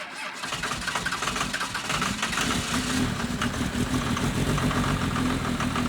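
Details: 2nd-gen Cummins diesel truck, not started for a few days, cold start at -9°F on the second attempt: brief crank, catches, then a steady, even diesel clatter at idle while warming below operating temperature; healthy cold start.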